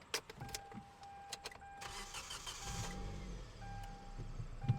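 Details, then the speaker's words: Cheap used car, first start to check for under-hood and exhaust noises: a short crank, then it catches cleanly into a quiet, steady idle with no knocks or rattles and no exhaust noise heard. The parking brake seems ineffective. Normal start. "Starts up pretty good. Parking brake doesn't seem to be doing anything."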